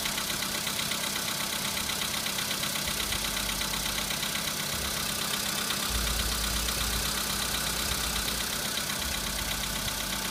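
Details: VW Polo sedan petrol engine at 26,000 on the odometer, knock appeared at 15,000, at idle: light, fairly regular ticking knock around 160 per minute over the hum; engine knock, cause unknown.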